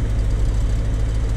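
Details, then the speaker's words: 1993 C4 Corvette with a brand-new rebuilt V8 at idle: a deep, lumpy, rattling rumble that never smooths out, steering wheel shaking, car rocking, rpm steady. A misfire present since day one. "like that's about what the steering wheel is shaking this whole car just kind of rocks side to side it's just it's not running clean at all rpms aren't fluctuating but it's just not running clean"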